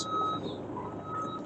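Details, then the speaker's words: Bobcat E32 mini excavator tracking on hand controls: loud, steady high beep from the travel alarm, which sounds when moving forward or reverse, not only when backing; normal travel alarm. "so if you hear that beeper that just means you're moving either forward or reverse"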